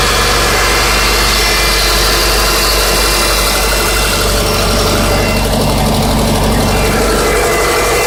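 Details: 2005 Subaru Legacy 2.0L, loud rough idle with uneven knocking about three times a second under engine drone; owner unsure whether rod bearings or piston slap.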